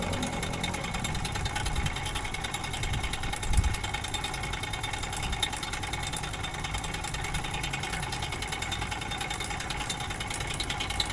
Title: Engine Noise problem Replacement Timing chain set low budget 💯💯✅✅Ustad Akram 💯💯✅✅